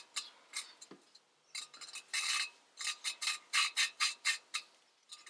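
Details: Honda B20A5 engine from 1988 Prelude, head off during rebuild: gritty, raspy rhythmic scraping about twice a second as a valve is lapped, seat not yet mated; WD-40 left on, gets smoother as it grinds clean.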